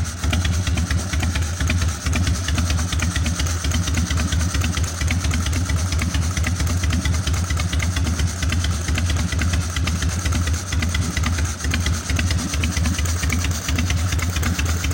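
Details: 1996 Harley-Davidson FXSTSB 1340 Evolution, Mikuni HSR 42 mm carburetor after cleaning and initial idle mixture setting of 1.5 turns: loud, lumpy potato-potato V-twin idle with strong low rumble, running steadily on its own; normal idle.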